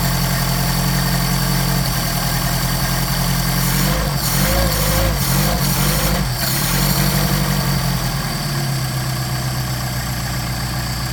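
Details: Mercedes 190SL with rebuilt Solex carburetors (39,000 miles; new throttle shafts, trued mating surfaces), linkage disconnected: fast, steady cold idle on choke with firm even beat, brief background noise midway; normal cold idle before warm-up and tuning.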